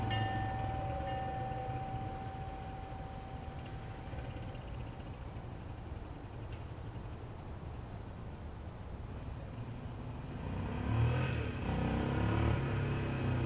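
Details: 1976 Honda XL175 single-cylinder, first ride after full restoration and clutch adjuster adjustment: steady drone that swells strongly near the end as it pulls away cleanly, with no flaring revs. The clutch engages normally and is gripping fine.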